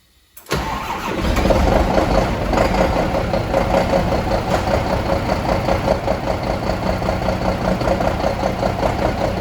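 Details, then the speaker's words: Scania DC12 truck diesel with reported low oil pressure, starting and idling with heavy steady knock and much smoke; teardown found all crankshaft bearings spun, cylinder liners and pistons damaged. "l'entendez-vous ? le son est très étrange, beaucoup de fumée, son effrayant, au début je pensais que le problème serait mineur."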